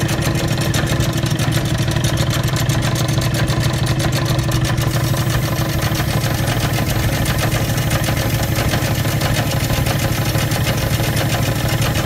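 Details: Old Bennett 541 gas pump motor, running after many years of barn storage: constant low drone, smooth and unchanging, with no ticking, grinding or squeal. Normal, healthy running.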